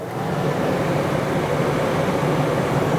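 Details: RV rooftop unit after storage, switched from air conditioning to heat pump mode with temperature raised: even rushing fan with a low steady hum, no rattles or cutting out. Heat pump operating normally.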